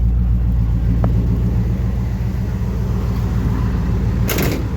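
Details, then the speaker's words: 1976 Chevelle Malibu cold start after new transmission install, exhaust cut off except catalytic converter, pumped pedal: loud deep open-exhaust rumble at steady, even idle, no knocks or misses; runs fine. "I cut off the exhaust other than the catalytic converter sounds pretty good actually yeah sounds real good"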